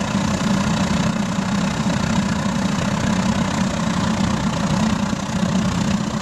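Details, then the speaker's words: Gravity-fed waste-oil burner fired into a pot belly stove with a small air blower, running clean: steady, even roar with a deep rumble, no surging or sputtering; normal full burn. "bloody beautiful already burning nice and clean I think she's ready for a bit of a throttle up"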